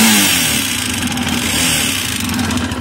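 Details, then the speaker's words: Minsk X250 enduro single with a used X250 cylinder and a new aftermarket piston, rings and pin: quiet at idle, but a distinct metallic tapping from the top end under throttle; owner suspects the Chinese piston parts. "но зато Когда газуешь вот этот вот звук он слышен отчетливо металлический такой вот спяк какой-то вот хер пойми именно сверху он идет"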